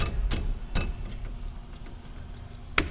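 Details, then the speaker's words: Renault Duster 1.6 (K4M): sharp metallic clacks as the front brake caliper is rocked by hand; guide pins have play and need bushing, while pads are still good. "pinça ó a pinça Bate bastante tem folga aqui no pino teria que tirar o cavalete e largar o cavalete com os pinos para fazer embuchamento"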